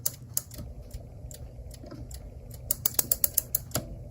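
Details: Clock, after bending the spring back for tension and reassembling: quick run of sharp even clicks, about seven per second, as the click catches; mainspring now holds its wind.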